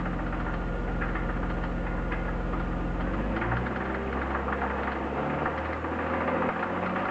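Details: BMW E36 323i, 1995, M52B25 engine, 140,000 km, idling: quick even tapping knock loudest at front of engine above VANOS; hydraulic lifters replaced, upper chain tensioner new, lower fine, no metal in oil, no oil-pressure light; source unknown.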